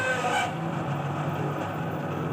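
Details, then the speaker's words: Dawlance microwave oven with abnormal sound: steady low hum with rough, buzzy edge from cooling fan motor whose bearing is dry from dust and lack of lubrication; fan to be removed and serviced. "तो बेसिकली ये जो आवाज़ है ये हमारे इस फ़ैन की आवाज़ है। जी हाँ, ये मिट्टी की वजह से और लुब्रिकेशन ना होने की वजह से ये ड्राई हो गया है, बिल्कुल ड्राई हो गया है।"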